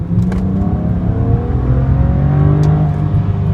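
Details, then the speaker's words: 2008 BMW E90 335xi xDrive, stock twin-turbo N54, hot after a 15–20 min drive, fresh plugs, coils and HPFP: deep, even full-throttle pull with a smooth climbing tone, no stumbles; no misfire this run despite intermittent misfires. "No misfire, strangely enough."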